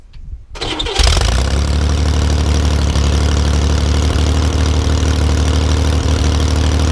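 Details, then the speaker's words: Sand rail engine first start after weeks sitting, choked, before valve adjustment: cranks, catches, slow lumpy idle with a couple of sharp pops; idle set too low, to be raised with screwdriver. "I'm going to grab a screwdriver and we're going to adjust this idle a little bit right here. That way it stays running. It's got a little bit low idle right now."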